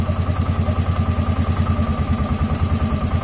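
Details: 2007 Polaris Sportsman 450 single after fuel pump replacement (previously hesitated on throttle), tank low: regular even thumping idle about three beats a second holding steady without stumbling; normal idle.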